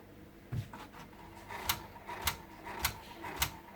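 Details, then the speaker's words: 2003–2008 Honda Accord Euro head unit with no display, radio still playing: faint regular clicking under two per second with no spin-up; CD mechanism tries to turn but fails. "you can hear the model that tried to do some turning but it's not working"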